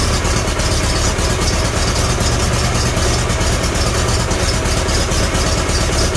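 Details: Farmall Super A tractor after the magneto was reset and timing adjusted. It idles smoothly with a steady, even low chug and no misses, knocks or hunting, sounding healthy.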